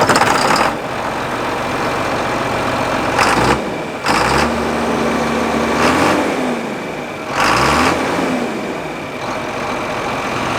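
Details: John Deere 4960 tractor diesel just fitted with a new exhaust pipe, no muffler: idles evenly, then revs up and settles back cleanly twice, pitch rising and falling smoothly; healthy engine.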